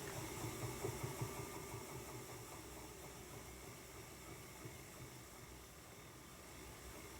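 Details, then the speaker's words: Ashford E-Spinner 3 electric spinning wheel after fix (felt washer filling bobbin gap, waxed cotton thread): steady even motor hum, no bobbin knocking or whomp. "hear the sounds of the wind but you don't hear the bobbin knocking around that's pretty cool is it not"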